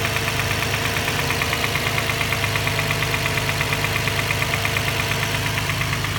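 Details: Infiniti G35 petrol engine at idle: a steady knock about three a second; owner can't find the cause and thinks it comes from the transmission area.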